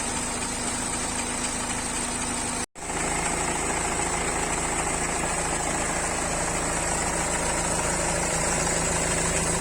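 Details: BMW 3 series cold start after sitting unused for a long time during lockdown: steady cold idle with a rough, fairly regular knock about three times a second riding over it, source not pinned down; engine knock on cold start.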